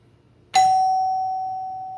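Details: Doorbell chime after the repair, button pressed: a single clear chime strike rings and decays smoothly with no buzzing, working normally.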